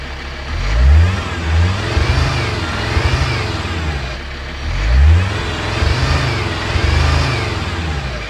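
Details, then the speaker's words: Alfa Romeo 159 five-cylinder diesel with a newly fitted replacement engine, warming up on diesel at least two years old: clean, repeated blips from idle, steady and even between revs; healthy engine. "That is a bonkers noise. I love it."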